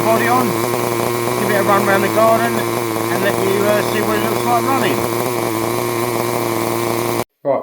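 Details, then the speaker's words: Restored Tamiya TR15 nitro stadium truck, first start in about 20 years with a fully charged glow plug: high-pitched steady, even buzz swelling and dipping as it runs; healthy, engine evidently well looked after. "Got it started after 20 years, which was amazing. Obviously, the previous owner um must have looked after this engine very well."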